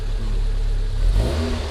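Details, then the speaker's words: MG TF 160 VVC, Rover K-series engine just rebuilt: engine blips up then sags slowly instead of dropping to idle, hanging around 1500–2000 rpm because the cable-operated accelerator is sticky and doesn't fully return. "also it doesn't come all the way back up so if you push it down a fair bit it doesn't always drop all the way back down it's here like 1500 2000"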